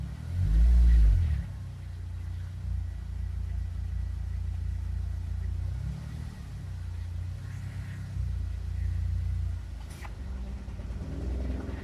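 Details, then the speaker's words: Honda EP3 K20 with idle air control valve deleted (block-off plate, idle valve disabled in KPro, throttle min/max re-read): after a brief rev, deep slow rumble sags unevenly, idle very, very low. "Okay, let's go to, this is very low, very, very low."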